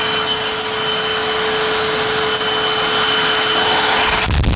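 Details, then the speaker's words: Dusty, uncleaned vacuum, needing only cleaning and TLC: steady, even motor whine holding one pitch with a clean airflow rush; motor actually sounds okay, normal running. "So, motor actually sounds okay. Let me Let me run that again. You can hear it just a little better."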